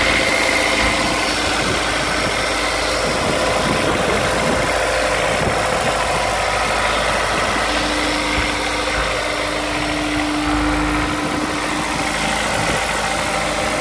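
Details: Honda S2000 at cold start idle: light, rapid tapping around three per second over the engine note; owner suspects rod knock, not confirmed.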